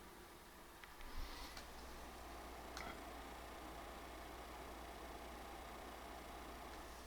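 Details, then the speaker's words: PlayStation 5 Pro Foxconn fan during Fidelity-mode gameplay, 48–49 dB; quiet even airy whoosh, no rattle, tick or whine; louder than PS5 Slim but tolerable, normal under load. "so like I said the PS5 Pro is not exactly the quiet this console it does make more noise than my prior PS5 slim with the same foxcon fan uh but it is tolerable it's not horrible"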